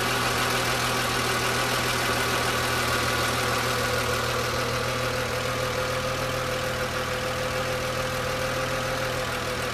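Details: BMW M3 E36, engine hot, air pump removed: steady running with a light fast ticking and faint whine above the exhaust drone; cause of the hot-engine noise unknown.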